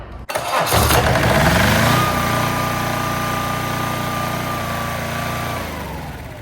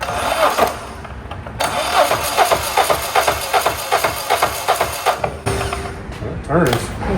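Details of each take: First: Onboard two-cylinder diesel generator (6 kW at 3600 rpm, Bosch injectors) on a 1984 Peterbilt 359, first run: catches at once, steady even chug with no knocks or misses; runs well, but it needs a fuel solenoid. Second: Diesel on a 1984 Peterbilt 359 build (onboard power source being added), cranked with jumper cables as ground: uneven labored beats at two or three a second with some compression kick but never fires; no fuel supplied yet.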